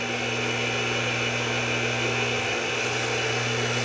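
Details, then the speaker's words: AC electric motor after repair of broken rotating starter switch and a loose crimp connector, running at high speed: smooth steady hum with constant high whir, no knocking, rubbing or scraping; runs clean. "better than I thought it was. I almost gave up."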